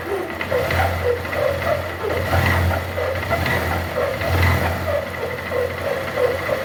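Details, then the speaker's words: Honda Titan 150 motorcycle at idle with a very loud steady hum, like something rubbing, under the engine beat; noise sometimes stops with clutch in and gear engaged off the stand. Teardown found a worn gearbox bearing. "Les traigo un titán que presenta un ruido en el motor es como un zumbido muy fuerte Como si algo estuviera rozando ahí"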